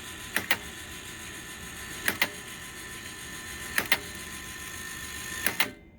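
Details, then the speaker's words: Alliance Tenna Rotor U-83 antenna rotor controller, cleaned and powered up on the bench: crisp double clicks about every 1.7 seconds over a faint whine are normal, as an internal spinning disc closes a switch each revolution. "the clicking noise in here is totally normal so what's actually happening is that in here the model has a disc that spins around and once that disc turns all the way around it has a switch that it closes"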